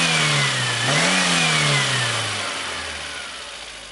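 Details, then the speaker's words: VAZ 21099 engine running, complaint of whistling under the hood on the right side, belt suspected at first: thin high whistle rising and falling with revs, then fading as it winds down; sparks seen flying from the alternator, so the alternator is whistling. "Вот, мы слышим свист. Давайте будем смотреть. Как вы видите, пролетают искры."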